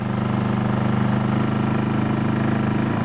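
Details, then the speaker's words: Honda EU2000i inverter generator recorded right beside it as a heater/heat gun is switched on and off, load dropping to 600 W; steady even hum with a slight speed dip as load drops; normal running under changing load. "I'm going to put the camera right next to the generator so you can hear it change speed as we turn the heater on and off down to 600 watts"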